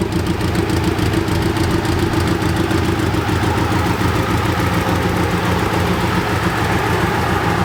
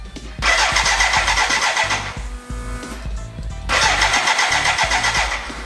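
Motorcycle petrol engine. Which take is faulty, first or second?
second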